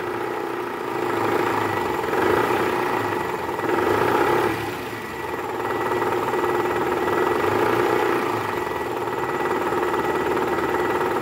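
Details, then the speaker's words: 2012 Toyota Camry 2.5 V (2AR-FE), 167,000 km, before repair, at start-up with AC on, shifting into R or D. A coarse, diesel-like clatter from the oil pan area swells and eases: worn, loose balancer shaft rattle. "Guys kita tampilin suara di awal sebelum ganti balaners untuk perbandingan yaitu suara kasar di area mesin pada saat awal mesin hidup masuk r atau d dan posisi AC on nah bunyinya seperti ini guys"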